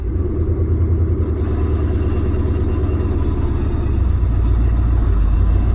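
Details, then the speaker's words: Porsche 928 drivetrain noise: deep pulsing drone with rattly rhythm under load at low revs when the clutch is let out, in every gear; fades as revs climb and when coasting; slight ticking at idle; origin not yet identified. "As the revs climb, eventually the noise goes away. Right now, no noise at all."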